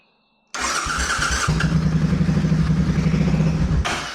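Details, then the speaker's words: C50 small single during rebuild, new fuel pump fitted, oil black, first start: kicks into life, runs lumpy and uneven with irregular stumbling beats, then dies; rough running, cause not yet found. "It is not happy, that is for sure."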